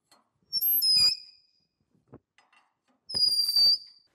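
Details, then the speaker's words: Lucas horizontal boring mill, Morse taper No. 5 reamer hand-turned with tailstock pressure and oil; two sharp high squeals about half a second each where it wasn't cutting evenly at first, easing deeper. "When we first started, we were getting that kind of squeaking sound. That was where it wasn't cutting evenly, but as we went a little deeper, it's cutting deeper and deeper."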